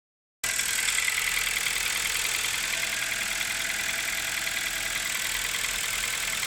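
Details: 2016 Kia Rio, top-end engine knock: light, fairly even ticking about three per second over a hissy idle; new hydraulic lifters sized to measurement didn't cure it, knock sometimes disappears, cause unknown.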